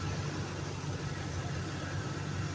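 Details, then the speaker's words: 2007 Dodge Ram 1500 5.7 Hemi V8 at idle: steady rumble with a light, fast ticking underneath; oil pressure sometimes drops and the check engine light comes and goes; lifters, camshaft or exhaust leak suggested, cause unknown. "it does a weird ticking noise I'm not sure what it is but here's how it [Music] looks moment there's no lights on my oil pressure does go down at times check engine comes on then goes off but that's some ticking noise I here not quite sure what it is"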